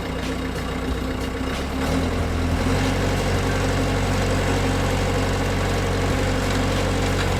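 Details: Bobcat S175 skid steer heavy diesel cold start, settling into a steady, slightly rough low idle with no knocks or misses; normal cold start and idle.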